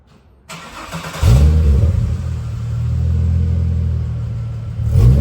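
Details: VY Commodore work wagon after new exhaust from extractors back: Redback 2.5" cat-back, centre muffler, rear resonator, twin 2.25" section with high-flow cats; starts to deep even burble, smooth idle, clean blips, no rattles or drone: normal exhaust note.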